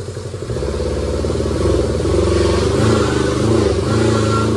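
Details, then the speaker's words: Kubota T1600 diesel mower, 530 hours, first start in years, warming up: clatter settles into an even beat and rises smoothly with throttle, no misfire or knock; reached temperature without overheating, runs healthy. "all right guys so we had the little Kubota Engine here running for a little bit and we let the temperature get up on it and it didn't overheat or anything like that"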